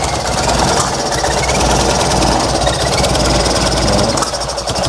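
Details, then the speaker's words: Fiat 126p (Maluch) twin on 92% denatured alcohol instead of petrol, low compression: loud ragged stumbling beat that won't pick up cleanly, choking even with a little throttle; burns lots of fuel, won't run properly on alcohol. "bo tak to tak to się dławi dam mu troszkę gazu słabo ogólnie"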